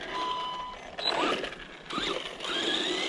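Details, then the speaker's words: New Arrma Vortex RC car, second run: bursts of harsh ratcheting under full throttle with power dropping off; sounds rear-end drivetrain related, slipping or skipping suspected, ESC and motor not hot, cause unconfirmed. "this does have a funky sound man it literally sounds rear end based that's not gonna be cool"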